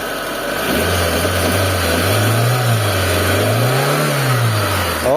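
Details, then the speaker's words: Mitsubishi Lancer 4G15 after engine overhaul with new parts, before break-in: revs climb and drop smoothly with a clean even drone, former noise under the engine gone. "Alright mga bossing, okay na. So wala na yung maingay sa ilalim ng makina. Yan, tahimik na mga boss. Smooth na yung niya. So pagka nag-rev tayo, wala nang maingay mga bossing."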